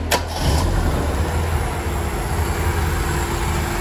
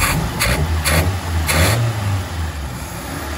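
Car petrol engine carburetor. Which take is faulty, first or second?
second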